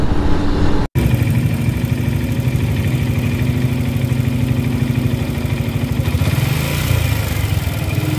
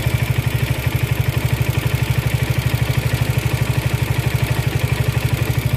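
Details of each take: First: Suzuki Gixxer SF 155, after dealer technician fixed rattle from tappets or cam chain: steady even low idle rumble with no ticking or rattle; noise gone, normal idle. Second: Suzuki Gixxer SF 155 motorcycle after oil, plug and filter service, at idle: fast even metallic rattle about three times a second over low engine thrum; shop called it normal, owner unconvinced, cause not found.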